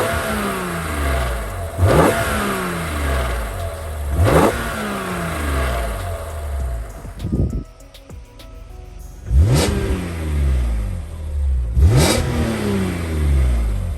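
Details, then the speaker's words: BMW E46 M3, possibly K&N filter (unconfirmed): several crisp rev blips climbing and falling cleanly back to a smooth idle, no knocks or rattles; owner loves the sound; healthy free revving. "I'm loving it. She sounds nice, man."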